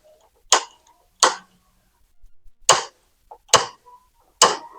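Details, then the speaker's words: Gas stove burner after cleaning dirt and oil from the igniter: sharp igniter snaps, five in five seconds, and a soft whoosh as the burner catches; it had lit with difficulty or not at all before and now ignites properly. "Ini sudah bisa nyala ya. Karena di sini di bagian pematik atau magnetnya ya pen kotoran dan minyak yang nempel di sini di pojok sini."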